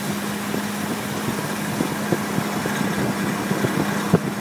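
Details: BMW E46 320i automatic with M54B22 engine, fully warm at 20°C or more outside: a steady hum with faint, irregular light rattling ticks from the front right, occurring under load when accelerating or climbing. Its cause is unknown; the owner doubts the oil pump, says VANOS should sound more muffled, and rules out the wheel bearing.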